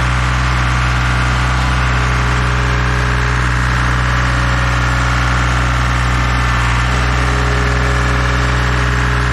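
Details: Dual drum vibratory roller diesel engine at idle, just started to warm up after new filters and hand-pumped hydraulic oil refill (slightly over full line), watched for leaks; steady even low drone, no knocks or misses: normal idle.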